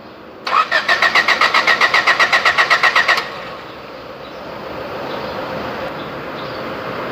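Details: Honda 3-door with D15B petrol engine that won't start: the starter cranks briskly for about three seconds and it never catches; spark is present and the injectors spray, but fuel pressure is too low, traced to the fuel pump, which was replaced.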